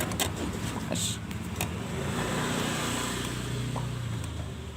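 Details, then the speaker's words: Motorcycle carburetor being reset to stock after running rich, slide piston refitted with its needle aligned: sharp clicks as the throttle is released, showing the piston drops cleanly back into its bore; normal throttle slide return. "ternyata bagus terdengar di gas ketika dilepas itu klik klik klik Nah itu tandanya si piston kembali ke jalurnya dan bekerja dengan maksimal ya"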